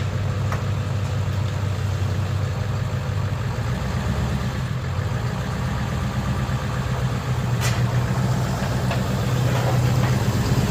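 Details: Ford 7.3 Powerstroke diesel after replacing suspected bad crankshaft position (CPS) sensor for cutting out/no start: deep rumble at steady idle, no stumbling, surging or cutting out; running healthy after fix.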